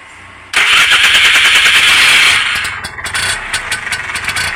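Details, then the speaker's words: 2014 Bajaj Compact auto-rickshaw after refitting the starter motor and Bendix for a no-self-start complaint; loud starter whirr spins about two seconds then drops off cleanly as the engine catches, Bendix noise stopping within a second, normal engagement. "லாஸ்ட்டா start ஆகுறப்ப கிர்ன்ட்டு நிக்குது பாத்தீங்களா அதுதான் வந்து bend axial sound ஒரு செகண்ட்ல நின்னுடுது"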